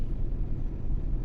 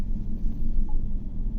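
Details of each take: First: GMC Yukon V8 (2015/2018), idling during an injector live-data check: deep, even low rumble with no stumble or skipped beats. Per the graph, all eight injectors are working properly with equal values. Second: GMC Yukon (2015 per mechanic, 2018 per description) with a blinking check-engine light, at idle: deep, uneven, lumpy rumble. Misfire P0300 on cylinder 6 with injector code P124D. The code did not re-set after clearing; injector fault suspected, wiring to be checked.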